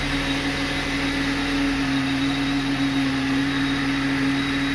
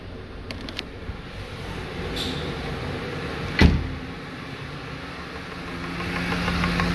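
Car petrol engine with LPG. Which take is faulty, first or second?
second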